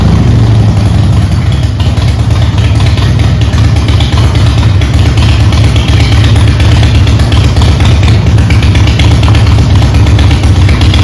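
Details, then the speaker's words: Harley-Davidson Softail after swapping Screaming Eagle plug wires and plugs for the old wires and Champion plugs: a loud, low V-twin idle with a steady beat and no obvious misses, remarkably better. Probably an ignition problem, about 90% fixed. "well that's remarkably better um so I guess it's a a little ignition problem"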